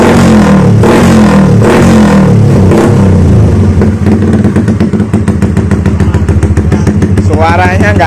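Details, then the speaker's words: MX motorcycle with the water pump seal replaced, built to an overkill spec and smoking; quick throttle blips climb and drop cleanly, then a settled fast idle with no knock or rattle, so the engine revs freely and sounds healthy; owner notes a carb fault and seepage. "motornya udah ngasap masuknya juga cukup banyak tapi untuk suaranya cuma keberadaannya masih enak"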